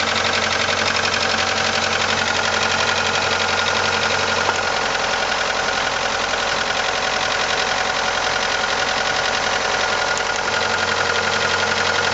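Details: 1989 Ford Probe GT with F2T engine at steady idle: a loose, fairly regular knock around two per second rides over the hiss; knock source not yet pinned down.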